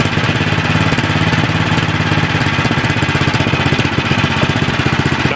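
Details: Troy-Bilt 24-inch snowblower, nearly new, after a fix for conking out at idle and surging: steady single-cylinder putter at an even low idle with no hunting or surging; the idle is set correctly.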